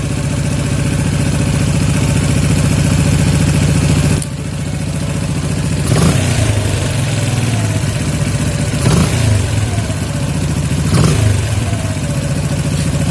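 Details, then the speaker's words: Yamaha Jupiter MX 135 (old) carburettor after air-screw adjustment (about one and a quarter turns out) for highest idle: steady low idle, three quick throttle blips with revs falling straight back without hanging; idle mixture set correctly. "Jadi segini udah pas ya. Jadi putaran gas ketika kita lepaskan dia tidak menahan ya, atau tidak telat turunnya."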